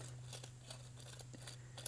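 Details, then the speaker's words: Kubota Z421 mower deck spindle bearing turned by hand after removal: dry, gritty scraping and uneven crunchy ticks over a low hum; play in the bearing's inner race and grit are making the noise, a worn bearing. "there's actually quite a bit of movement in this inner part of the bearing so i'm sure that's really what's making all the noise"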